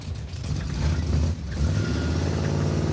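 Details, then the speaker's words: Junkyard 1957 Chevy V8 just fitted with an ATI off-the-counter distributor replacing the old one; even steady rumble picking up cleanly with no hesitation except one small one, best it has sounded. Smooth running. "Okay. [Music] That's the best it sounded. No more hesitation."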